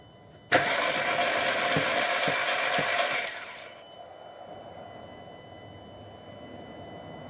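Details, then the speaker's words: 2006 VW Passat 2.0 turbo, cranking: the starter spins the engine fast and unusually freely and evenly with no compression pulses. Compression is zero on all cylinders and the intake camshaft isn't turning because the timing chain snapped; replacing the chain fixed it. "gonna check the compression because this thing sounds really loose like really freely"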